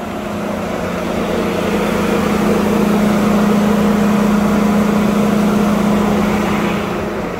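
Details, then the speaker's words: 2021 GMC Sierra 1500 3.0L Duramax diesel, remote-started in cold Chicago weather after using the block heater, idles with its radiator fan stuck on high: a loud steady rushing roar over a low hum, with no actual overheating. "there's nothing wrong with it as far as like temperatures i mean it sounds like it's overheating you know like it's trying to pump as much air through that radiator as possible"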